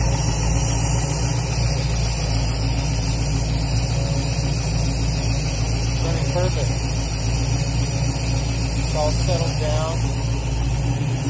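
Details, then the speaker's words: 1966 Mustang Fastback with new Ford Racing BOSS 347ci crate V8 (415HP), warm idle, oil pressure about 40 psi, fan on at 140: steady idle with a dull regular knock; shop suspects internal cause, not found. "Except for that knock, they gotta figure that out. This thing idles beautifully."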